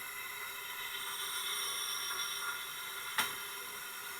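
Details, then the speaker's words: Tecumseh engine leak-down test at top dead center, 80 psi, engine not running: steady high airy hiss of air blowing out the exhaust, pointing to an exhaust valve leak; slight leak also at head and oil tube. "And it is just blowing out of the There we go. There. I got it to close up. So, it's definitely we got definitely have a valve issue of some kind."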